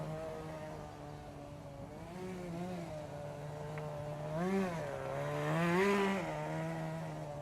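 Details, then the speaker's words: 1988 Kyosho Ford RS-200 RC car, OS Max 10 FP-B nitro engine, second startup after restoration; steady buzz whose tone lifts and sharpens as the small exhaust flap opens on throttle blips; normal running. "and again if you listen really carefully you can hear the change in engine tone when the little exhaust flap opens"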